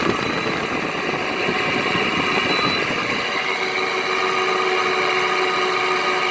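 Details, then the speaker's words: Frigidaire window air conditioner, roughly a 2010–2013 model that sat outdoors for at least three years, cleaned but not fully restored: steady whirring hum with a rough uneven buzz on top, a rattle from the noisy Toshiba compressor, cause not pinned down. "Still really noisy. Maybe you can actually get a chance to hear the noisy Toshiba compressor. There's a rattle to it."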